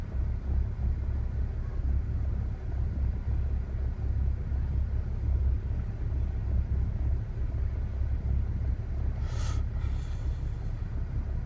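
Low idle rumble with an uneven, lumpy pulse and slight hunting instead of a smooth beat; a rough idle, cause not evident.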